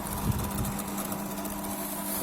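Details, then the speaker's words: LG MC-7688DP microwave fan motor gives a steady buzzing hum with a rough, uneven rattle, loud at times, often not on a second start; worn, dry fan motor bearing, needs greasing or replacement. "Motor का आवाज आ रहा है इसमें। ये वाला मोटर को ग्रीसिंग और वायरिंग करना पड़ेगा। कभी कभी बहुत जोर में आवाज आता है, कस्टमर कंप्लेंट है।"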